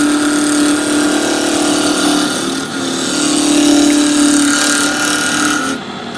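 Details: Wood lathe with RPM raised after the corners were mostly knocked down, gouge roughing a top blank: loud whirring cut with fast irregular ticking, about three to four a second, as remaining corners catch; not yet round.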